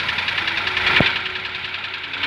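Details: Ford Ka three-cylinder engine at idle: fast dry ticking clatter from top end running dry; oil pressure gauge shows low pressure, oil pump suspected, frayed belt found after sump removal; valvetrain noise from oil starvation.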